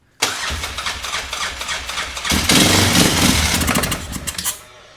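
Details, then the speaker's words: Yamaha Grizzly 600 ATV (about 1998–2001) cranking: rough, uneven cranking with clattery bursts and brief catches; owner suspects the starter is hanging up, not confirmed; carburetor to be checked. "It sounds like the starter is uh hanging up or something."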